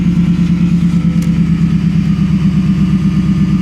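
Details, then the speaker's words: Coyote V8 in a Copart vehicle just after start, loud exhaust, check engine light on: lumpy idle with a steady low hum underneath, source unclear because the exhaust masks it; humming noise at idle. "here's a weird humming noise I don't know the exhaust is so loud it makes it where you can't really hear everything that's wrong with it"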